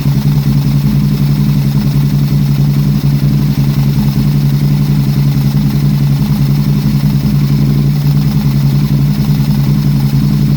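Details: 2006 Aprilia RSV1000R V-twin at idle, 1,300 km after servicing: a lumpy, uneven beat with stumbles about once a second. A misfire is suspected despite new plugs, racing cables, a new crank position sensor and good vacuum lines; a small spark is seen at the front cylinder.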